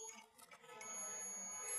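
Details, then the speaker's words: Refrigerator compressor possibly lightning-damaged: multimeter gives continuous beep between every terminal and body, stator winding insulation failed and shorted to body, compressor won't work. "मैं सभी टर्मिनलों पर इसको लगा रहा हूँ और बीप की आवाज़ हमें कंटिन्यू मिल रही है। तो दोस्तों इसका मतलब ये हुआ कि हमारा कंप्रेशर, जो हमारे कंप्रेशर का स्टेटर की वाइंडिंग है वो अंदर से शॉर्ट हो चुकी है, उसका इंसुलेशन उतर चुका है और वो बॉडी से मिल गई है,"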